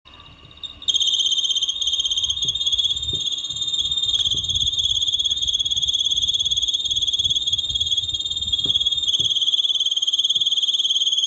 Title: LG split type AC, Problem when running in high speed it makes strange noise, #airconditioner